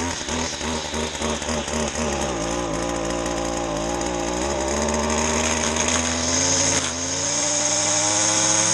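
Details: Stihl FS 70 R two-stroke trimmer, first spring start after sitting since October, cold on choke: rough lumpy start settles into a steady high buzzing run climbing slightly in pitch; running fine.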